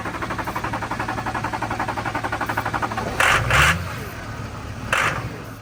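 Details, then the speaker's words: Duramax diesel truck that sat for a very long time, being primed for about an hour: steady starter cranking at about four beats a second without catching; low fuel pressure, likely air in the fuel. "it's like Los fuel pressure which is so could have air in it so try it again"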